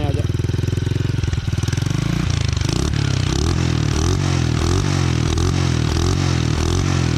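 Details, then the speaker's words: Kick-started custom Honda Monkey-style bike built on a Honda Kharisma base, heard through a muffled exhaust: single thumps with a slightly ragged, stuttering beat. Uneven running; the carburettor setting may need adjustment. "Masih agak tersendat-sendat, bro. Pengaturan karburator mungkin perlu sedikit penyesuaian agar mesinnya berjalan lebih baik, bro."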